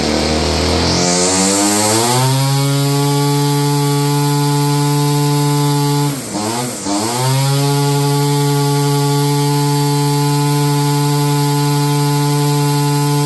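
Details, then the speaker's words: 30-year-old Stihl FS56 curved-shaft two-stroke string trimmer, restarted after the choke killed it: settles from a brief rev into a steady, even buzzing idle without hunting; normal idle. "Start it up again. We're back down to an idle."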